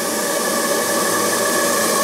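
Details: Model steam boiler restored after more than 20 years in storage, with a doubled regulator spring and a gas-regulator leak sealed with Teflon tape, burns with a steady, even roar and faint whistle, no sputter; flame holding steady.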